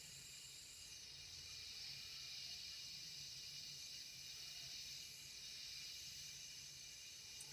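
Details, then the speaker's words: Dual-flush toilet whose flapper was likely degraded by chlorine tablets: steady faint high siphoning hiss with no fill cycle and no visible water movement, suspected seepage past the worn flapper seal. "That's the siphoning noise that I think I'm hearing that has me concerned, but don't see water moving in this case."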